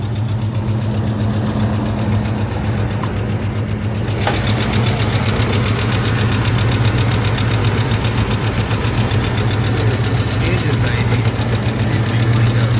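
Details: Truck idling after a struggling start on a cool 61°F morning, oil pressure good for now but drops once oil warms: light, quick ticking at three to four per second over steady idle rumble; source unconfirmed.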